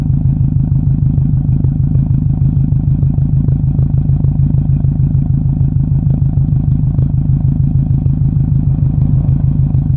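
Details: 2007 Subaru WRX exhaust: deep burble with a repeating stumble about twice a second, steady and even; possible misfire, not confirmed.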